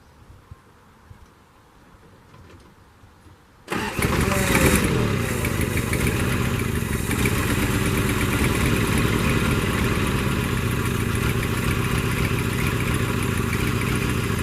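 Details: 1982 Toyota SR5 Trekker 4x4 pickup: quiet, then the engine catches and runs steadily only on a little held throttle, throttle response good; it won't idle by itself since the fuel filter was replaced, cause unconfirmed.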